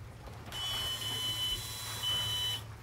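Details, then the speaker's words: Volvo Penta boat, key on, priming a newly installed refurbished fuel pump, one of 5–10 cycles: steady high beep over a low pump hum for about two seconds, then it stops. Normal priming. "you may even hear the sound change where it's getting the draw of the gasoline up in there yep you can hear the sound change"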